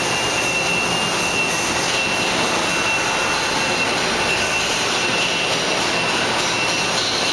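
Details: Fadal VMC5020A 4-axis vertical machining center, built 1997, in good running condition, head moved up and down: loud steady whir with faint constant high tone, even with no knocks or grinding; normal axis travel.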